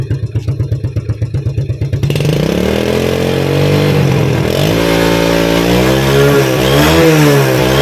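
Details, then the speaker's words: Yamaha Vega ZR losing over half its oil in a month, white smoke when revved: lumpy idle blips into a high rev with a rough, clattery edge; oil burning from worn piston rings/liner, noise from stretched cam chain. "oke ya nampak untuk asapnya ya saat digeber nah ini ciri-ciri atau indikasi bahwa pelumas atau oli mesin itu sudah mulai masuk ke ruang bakar dan terbakar di ruang bakar"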